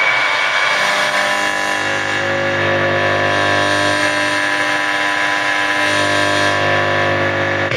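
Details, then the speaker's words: Abandoned Blaupunkt car radio from a Mk3 Ford Cortina, powered up with a hand-held antenna: loud steady static and hum at constant level. The volume control is seized in the full-on position. "That's too loud. It's stuck in full on position and it's going to..."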